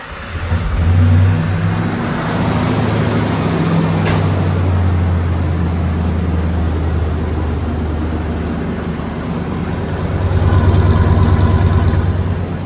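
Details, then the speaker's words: 1994 Ford F350 single-rear-wheel 4x4 with 5.8 V8, 154,000 miles, idling indoors: deep even rumble, then a smooth rev blip; runs clean with no knocks or misses, though it has a serious oil leak. "all right I got to shut it off cuz I'm inside doors are closed and it smells terrible so Run's good right now"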